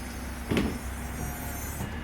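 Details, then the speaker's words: 2007 BMW 328i convertible retractable hard top, after WD40 on the dry, sticking pins as a temporary fix until they are greased: smooth, quiet motor hum with a soft clunk as the top moves, no squeak or sticking; it now operates normally. "but once I sprayed a little WD40 in there uh this thing is popping out nice and smooth now"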